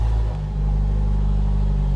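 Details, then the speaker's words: Jeep YJ Wrangler with a 1973–74 AMC 304 V8, running with no muffler after the catalytic converter. Deep, loud, unmuffled low booming rumble. It just needs an exhaust. "that's the next project is to fix the exhaust there's a bunch there's a bunch of exhaust parts and muffler in the back but it doesn't I mean it needs an exhaust it's just loud"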